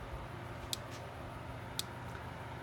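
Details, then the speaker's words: Early-1980s Gallagher MPE fence charger, roughly 2–2.5 joule unit, plugged in after cord continuity test passed; sharp even clicks about once a second, normal pulsing. "Well, you can hear it clicking. That's a good sign. These things don't put out a whole lot of voltage."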